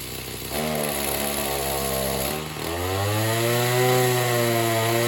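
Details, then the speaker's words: Oleo-Mac BC240 strimmer, assumed 24 cc two-stroke, warmed up after a spark plug clean: idles fine and revs on light throttle, but at full throttle it sags and labours instead of revving out; owner suspects a blocked fuel filter in the tank. "it ticks over quite nice and you just tickle the throttle it revs up a little bit but if you if you just go Full Throttle it is like it"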